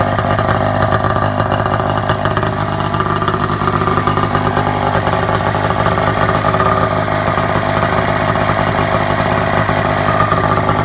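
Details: Snowmobile-engined project vehicle with 38 carbs, Polaris clutch: raspy crackling two-stroke note sharpening with revs, spitting around the can; exhaust leaks everywhere at the unpacked, unriveted muffler.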